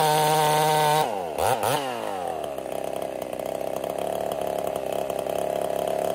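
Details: Ported Husqvarna 55 chainsaw: high clean scream drops hard when it bites into wood and stays down, bogging badly; lost over 1,000 RPM in about half a tank, new coil didn't fix it; scored cylinder.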